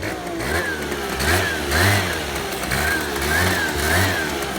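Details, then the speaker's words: Scooter taken off its stand, under load: engine note surges and sags about every two seconds, jerky bogging, yet it runs clean on the stand; owner suspects worn variator belt, dead rollers, or shifted needle clip. "il refait les trous. Du coup, en enlevant de la béquille, ça broute alors que sur la béquille, il ne broute pas."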